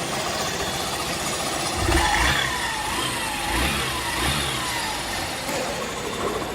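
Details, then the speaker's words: Hero Super Splendor BS6 single-cylinder after repair of recurring engine noise problem: chugs steadily with light throttle blips, no tapping or chain rattle; normal idle. "यह हमेशा का problem खत्म हो चुका है जैसे हम आप देख सकते हैं इसका साउंड कितना ए रहा है"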